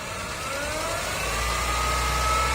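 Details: Honda Civic, engine bay noise after post-robbery repairs with the hydraulic steering pump replaced: steady hum with a thin whine rising with revs, heard near the alternator at low rpm; owner unsure if alternator or power steering.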